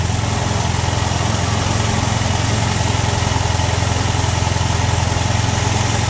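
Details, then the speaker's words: Ford-built M151A2 military jeep, 141.5 cubic inch engine, stored 20 years, just started with about 48 psi oil pressure: steady even low thrum, smooth idle before rattle returns seconds later. "Sitting there purring like a kitten."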